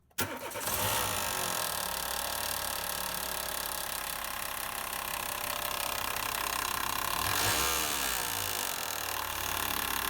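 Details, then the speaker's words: Renault Logan 1.6 petrol with air conditioning and power steering, idling: rough rattling knock and scrape about four times a second, from a worn alternator decoupler pulley; a friend suspected the rear alternator bearing. "и какая проблема есть какой-то стук такого стука я никогда не слышал поэтому послушайте что это за стук"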